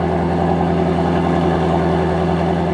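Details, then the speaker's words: Ford Mustang GT350R first true cold start after an AWE Switch Path exhaust install, valves open: deep, even V8 burble holding steady with no misses, ticks or knocks; no check engine light, normal idle. "this will actually be the first time in this car's history that it has had a true cold start"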